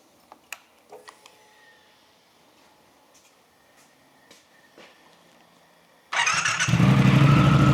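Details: Brand-new 2023 Triumph Thruxton RS with Predator Carbon exhausts just fitted; a few quiet clicks, then it catches cleanly and settles into a deep, even idle. Normal start and idle.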